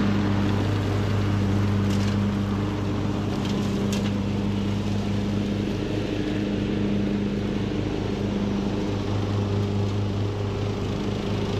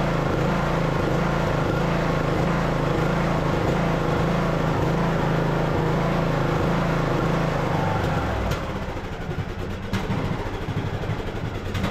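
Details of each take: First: Craftsman LT2000 riding mower, almost 20 years old, after a new carburetor and mowing-deck spindles were fitted, mowing under load: steady, even low drone with no misses or knocks; engine running healthy. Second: Craftsman LT2000 riding mower, almost 20 years old, small single-cylinder engine running without choke before carburetor swap; steady thump about 160 a minute with uneven hunting in speed, then drops off; surging from faulty carburetor.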